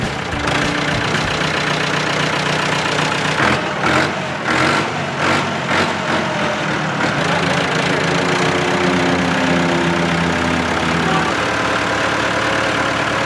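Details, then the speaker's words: Massey Ferguson backhoe, year unknown (probably 1970s): diesel settles into a steady, even idle with an unbroken low drone, no knocks or misses; starts instantly, smooth idle, motor in great condition. "Like I said, it runs really, really well. Like, second it gets cranked, boom, it's on. So idle smooth, motor, great condition."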